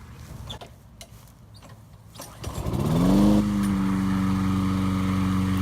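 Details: Discarded curbside push mower, small single-cylinder engine, after carburetor cleaning and air cleaner refitted: pulls, catches and revs up within a second, then a steady, even drone with no misses. Normal running.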